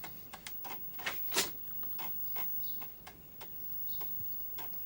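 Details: Amiga 500+ being refurbished for random resets, booting with the keyboard disconnected: sharp, uneven floppy-head ticks about three a second over a quiet background; boots normally.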